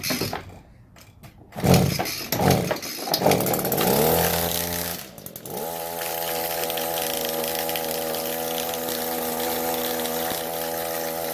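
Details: Echo SRM-266 trimmer started on choke; pull-start tugs, then it catches and settles into a steady, even, high two-stroke buzz, running cleanly.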